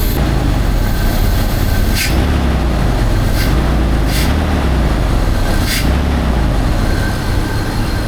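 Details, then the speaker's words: Rough, lumpy idle with occasional stumbles and uneven beat, a misfire with the cause not yet confirmed, on an engine freshly rebuilt with new head gasket, valve cover gasket, timing chain kit and radiator after overheating; top partly unassembled, owner suspects valves. "I'm going to go ahead and hook up the OBD-II and see what it is that's misfiring."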